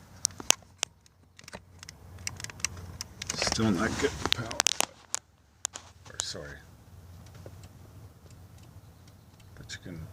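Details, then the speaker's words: 2003 Chevy S10 crew cab passenger power window, key on, door panel off at the motor: a few sharp isolated clicks, no motor hum or glass travel; regulator arms jammed because the outside weather seal moved out of place. "okay so here we are the power windows still not working it's got the key on so we're still"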